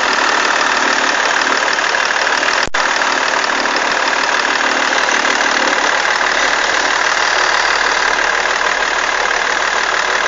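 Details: BMW E46 330d diesel at steady idle: an even clattery rattle, about three per second, over the engine note from a bad alternator belt tensioner.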